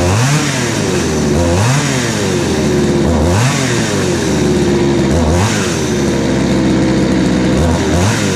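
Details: Craftsman 3.7/Poulan 3700 two-stroke chainsaw with new carburetor and fuel line, after the high-speed screw was adjusted to fix a high-speed bog: revs rise crisply and drop back without bogging or stalling. It is now running healthy with good power.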